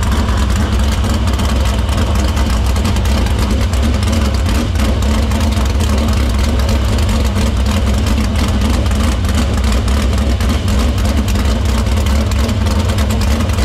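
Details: Dirt Silver Crown race car after fixing a vapor lock in the fuel cell, repairing the line and cleaning the filter: loud, deep, steady engine note at an even lumpy idle with no misses; fuel system checks out.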